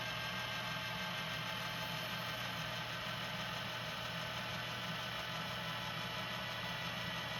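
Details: JVC GR-SXM330 Super VHS-C camcorder after repair (fix for clicking/E03 error): fast forward gives a quiet even whir with steady low hum, no clicking; normal tape transport fast forward.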